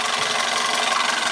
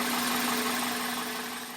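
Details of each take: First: 1999 Toyota Corolla, engine running: a harsh, gritty grinding rides over it without letup, a failed power steering pump. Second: 1999 Toyota Corolla after power steering pump replacement: even, smooth idle hum with steady tone, no more grinding.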